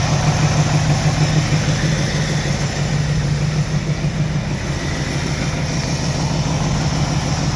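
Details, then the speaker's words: 1984 Camaro Z28 350 V8, cold start after heavy cranking, possibly flooded, exhaust-end microphone: low, fairly steady idle with faint regular tap underneath; owner suspects rod knock, not confirmed. "Alright, so it runs. I'm pretty sure it has a rod knock."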